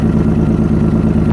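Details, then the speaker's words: 1997 Toyota 4Runner SR5, 210k miles, blown head gasket, very cold day, idling: rough idle with sharp rapid puffing chuff in time with firing; exhaust leaking from the open oxygen-sensor hole with the sensor hanging, also suspected at the header. "You can hear that exhaust leak. Sounds like it's coming from a header down here."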